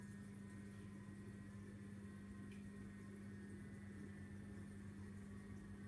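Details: Vortech MP10 QuietDrive pump after a month of use: steady, loud low hum with a strong fixed tone and a rough rumble underneath, like a new diesel engine. Far too noisy for a supposedly quiet drive motor.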